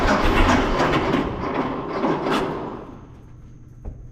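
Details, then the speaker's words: 1926 Seagrave city service ladder truck, 1013 cu in "F" six-cylinder, first start in 10+ years after long sitting, fuel fed to carburetor; ragged uneven firing catches and stumbles a few seconds then dies, flooded with too much gas; owner also suspects a valve stuck open. "got too much gas so i'm gonna i'm gonna stem the tide of fuel here"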